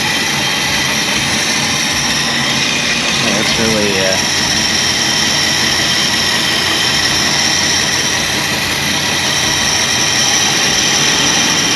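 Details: 1965 Ford Galaxie 500 project car, newly revived: a loud, even V8 roar holds a steady speed with no knocking, missing or grinding. The engine runs smoothly.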